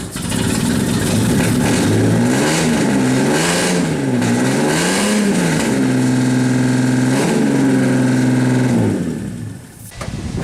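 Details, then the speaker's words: Cheap SN95 Mustang race-car project right after head gasket repair, first start with coolant in, alternator and air pump belts off: loud engine lurching in revs, then rough droning fast idle before cutting out; runs rough, cause not yet known. "no this thing sounds awful doesn't it"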